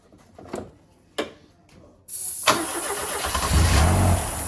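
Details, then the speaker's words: Ford Fiesta RS Turbo stored 17 years in a garage, fuel gauge reading empty; short cranking bursts, catches and runs only on starting spray, no fuel delivery, fuel pump dead. "The fuel pump's definitely dead, isn't it? Right, let's get on the hunt for a fuel pump then."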